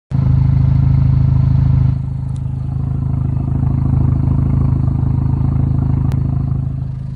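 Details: Chevrolet Cobalt SS idling with the oil cap removed: uneven, lumpy pulse with some clatter, settling lower after a dip; cause not pinned down; rough idle.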